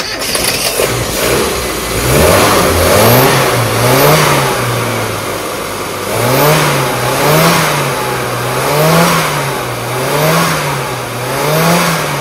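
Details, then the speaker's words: Revs rise and fall smoothly and evenly with no stumble after a misfire on one cylinder is traced to wrongly gapped spark plugs. The engine now sounds smoother; normal running. "okay is that sound better yeah yeah smoother"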